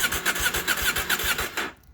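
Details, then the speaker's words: KTM 790 Adventure with recurring starting trouble, first start in days after a MAP sensor replacement and Boosterplug removal, throttle rolled on while cranking: steady fast starter cranking at four to five pulses a second that never fires; cranks, no start. "i don't know i just cranked the throttle just now as it was trying to start and then and then it started so i don't know i guess starting from it's not i don't think the map sensor didn't make a difference"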